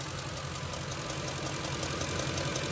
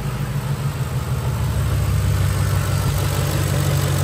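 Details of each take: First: Ford 5.4L 3V Triton V8 idling: constant sharp fast tick, on the driver's side, from a loose M16 Motorcraft SP-546 spark plug with strong raw-fuel smell; plugs need 25 ft-lb torque. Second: 2006 Ford F-150 5.4L 3-valve Triton V8 after retorquing a loose spark plug to spec: steady, even V8 idle with smooth low hum and no ticking or tapping; healthy.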